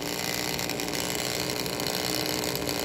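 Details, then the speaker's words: Slot car chassis with ball bearing axles, shimmed gear and wheels, drawing 2 volts at 0.8 amps on the bench: a steady rough growl under the motor hum; source unknown, not thought to be the bearings. "The growl is still there, isn't it? It's a little out of ding dong. You can see that, right?"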